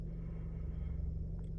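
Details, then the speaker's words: 2013 Chevy Cruze at idle after replacing turbo bypass valve, purge valve, spark plugs and ignition coil (codes P0171, P0304, P2261): low, even hum, steady beat, no hunting or stumbles; check engine light gone, idle now stable, previously bouncing, normal idle. "No more check engine light. Idle is now stable. It was bouncing around like crazy"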